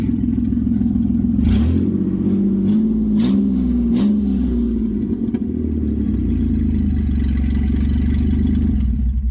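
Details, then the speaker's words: 1990 Dodge Grand Caravan LE running with the exhaust disconnected after the bolts were sawn off: a loud, raw, unmuffled bark that swells with each throttle blip. The owner believes the catalytic converter is shot. "enough of that a it smells good so there's our catalytic converter right I do believe that the catalytic converter is shot"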